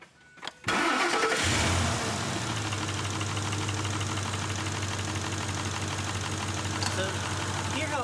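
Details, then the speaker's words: 2005 Ford F-150 Lariat 4x4, 5.4L V8, 184,066 miles, warm just after driving: cranks and catches, then idles with a light clattery rattle; owner attributes it to worn timing chains, guides and roller followers, planning a rebuild. "trying to hear a little bit of slop in there that's going to be the timing chains and the guides and the roller followers uh things like that go out on this engine all the time"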